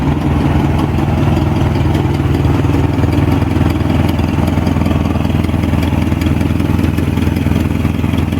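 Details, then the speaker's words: Jacobsen G-10 tractor engine at idle after revival, distributor rotor fit on drive flats that are off: loud, slightly uneven thumping about 3.5 beats a second, firing hard; owner suspects ignition timing slightly off, otherwise good engine, faint smoke. "Timing sounds like it's a little bit off because that rotor sounds like it's firing kind of hard, but aside from that, I'm happy with it."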